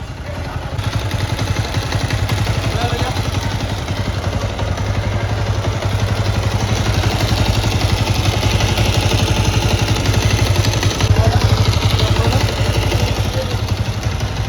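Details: Bajaj Avenger 220 after half engine repair completed: steady low thumping beat about four pulses a second, even and unbroken; clean, healthy idle.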